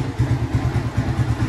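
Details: Yamaha Vixion single after valve clearance adjustment that cured a ticking noise: even, steady low thumping at idle with no top-end tick; idles smoothly and sounds healthy.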